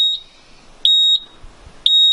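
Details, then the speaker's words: LS XR3135 tractor that repeatedly goes dead, key on after stalling: shrill short beeps about once a second, parking brake warning because the brake isn't set; no dash codes, only battery light. "beating cuz the parking brakes not fooled"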